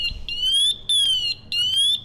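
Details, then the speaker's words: Firefighter's PASS safety device: three shrill rising chirps repeating about every 0.6 seconds, the motionless alarm sounding after the wearer stays still a few seconds, growing louder until he moves or switches it off. "ping sound if he doesn't move for a few seconds and then the alarm sounds if you stay still in the reason that's a safety device"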